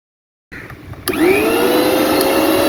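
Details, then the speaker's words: Mixer grinder after repair with rewiring and overload switch refitted, spinning up to a clean steady high whine with no rattle or grinding; noise problem fixed. "ഇതുപോലെ ഇപ്പോ മിക്സിന്റെ sound ഒക്കെ മാറി clear ആയി ഫിറ്റിം okay ആയി"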